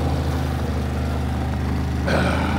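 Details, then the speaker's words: Harbor Freight Predator 3500W inverter generator just cold-started at 6°F, warming up on choke: smooth, quiet low hum holding steady speed, no misses or hunting; normal warm-up. "theread runs look at it that was a cold start at six switch from the choke to normal see it's running so"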